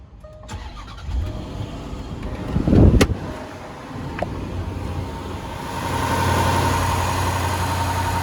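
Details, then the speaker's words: Cold start of a 5.0 V8 Rover with timing chain and guides checked: quick crank, catches promptly into a steady idle, no chain noise, slapping, hissing or clacking, just normal valve train and injector noise; healthy cold start. "So right there, that was a nice quick little cold start. No chain noise, slapping, hissing, clacking. Just normal valve train injector noise."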